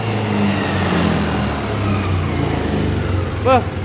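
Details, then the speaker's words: Yamaha Aerox 155 scooter after cleaning the dirty ISC (idle speed control) tip: engine picks up cleanly from idle and revs smoothly with no stumble at initial throttle; injector and in-tank fuel pump were not the cause. "Motor kembali normal bosku ya. Ternyata kerusakannya bukan di bagian injektor atau pompa injeksi yang di dalam tangki bosku ya."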